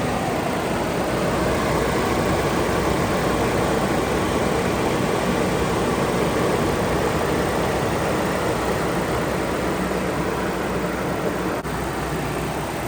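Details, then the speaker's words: 1991 Toyota pickup 22RE four-cylinder running after spark plug wire replacement (a cracked wire was found): steady, even, smooth idle with no stumble; runs really well. ">> All jokes aside, well, it runs and it works really well."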